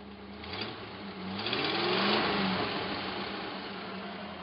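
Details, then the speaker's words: Hot-rodded Jeep J7 rock crawler V8, first run after purchase, warmed to normal operating temperature: blips up and eases back down smoothly with an even beat and no stumble or miss; runs on all eight cylinders; carburetor secondaries need tightening. "definitely running on all eight holy crap does a gas cage work"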